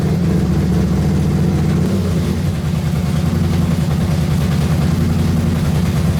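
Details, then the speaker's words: Homemade mini rock crawler: steady single-cylinder drone drops in pitch about two seconds in as the brakes load it, so the engine bogs; brakes are still soft but working. "The brakes are kind of working. So the brakes are working. You can hear the engine bogging down when I'm hitting the brakes."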